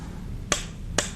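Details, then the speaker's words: Fleck 5600 water softener control valve, manual gear at its stop: two sharp evenly spaced clicks over a quiet low hum, the meter clutch slipping normally, each click about 50 gallons of water. "and each click represents approximately 50 gallons of water"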